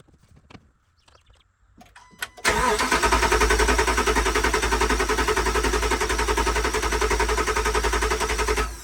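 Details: 2013 RAM 1500 5.7 HEMI V8 after replacing damaged pushrods and rocker arms that had been improperly installed after a cam and lifter job: quiet crank, clean catch, even idle with no ticking or knocking, sounds a lot better.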